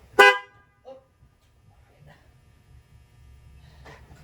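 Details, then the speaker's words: 2017 Corvette Z06 with Texas Speed 416ci stroker, first crank with no tune and no coolant: one loud horn blast, then a fainter one, as the theft-deterrent alarm trips on cranking. "I definitely have a deaf deterrent"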